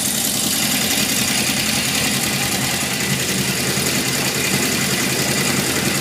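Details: 1978 Honda CB750F idling with a constant busy metallic bottom-end rattle, after metal shavings in the oil pan, low warm-idle oil pressure and engine shutting off; owner suspects crankshaft bearings, not confirmed.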